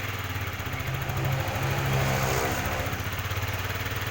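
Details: Yamaha R15 with the malfunction indicator lamp on, under light throttle: the engine runs unevenly, its beat stumbling and lumpy, with a brief uneven rise in revs before it stalls. A rough, stuttering idle whose cause is still undiagnosed.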